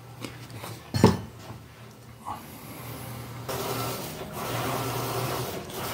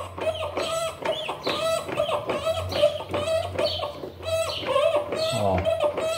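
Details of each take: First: Electrolux LPR17 washing machine under test after replacing the agitation mechanism with an original part (gears suspected stripped): soft steady hum, agitator swishing evenly with no knocking or grinding; the noise is gone. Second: Electrolux LPR17 washing machine, noise during agitation, belt removed and mechanism turned by hand: rhythmic squeaky clicks about twice a second from inside the transmission mechanism; worn internal gears.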